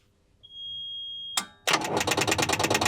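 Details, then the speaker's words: Volvo Penta TAMD 71B marine diesel, stood 10 years in a partially sunk abandoned boat, tried on the key: warning tone then fast choppy starter chatter surging and sagging, stalling in and out; believed to be dead batteries causing weak cranking. "As you've probably seen, we're having some difficulty turning the engines over and we believe it's the shot batteries."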